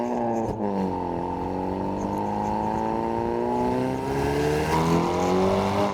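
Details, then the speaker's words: Hyundai Veloster N with Depo Racing catless downpipe and JB4 tune, in normal mode with valved exhaust closed: smooth even drone climbing gently with revs, much quieter, no pops or crackles; normal exhaust note. "Bro, it's so much quieter, it's crazy. You can definitely go stealth. There's no pops, nothing."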